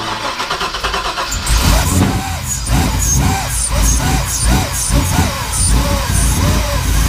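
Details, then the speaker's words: LS engine with LSA supercharger swap, first start; cranks and catches then surges, won't idle on its own without revving, running very rich with white smoke, run only about ten seconds. "it's alive all right so I just had to running for maybe ten seconds it wouldn't really idle on its own I had to keep revving it up just to get it to idle"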